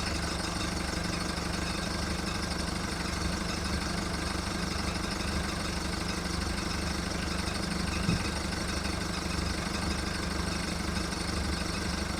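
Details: VW Golf Mk1 1.9 TD turbo diesel, cold start after 5 months of winter storage: clattering idle with an uneven, lumpy beat about two pulses a second while warming up; rough cold idle.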